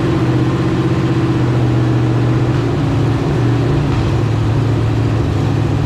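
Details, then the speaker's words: Marketplace LQ4 6.0 V8 (circa 1999–2000, iron heads) with temporary exhaust slipped on, revved: raspy puffing on exhaust beat, no valvetrain rattle or bottom-end noise; exhaust leak. "yeah gotta exhaust leak right there that's the only thing I hear though I don't hear any valve train rattle no bottom end noise"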